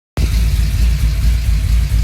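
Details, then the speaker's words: Cammed, untuned Chevy 5.3L V8 at a steady, slightly lumpy idle with no skipped firing. The #3 misfire is fixed after replacing the cracked #3 spark plug, alongside new stock 24 lb/hr injectors, plugs and wires. "so I put a new spark plug and cylindric three and four and the inside on so much smoother"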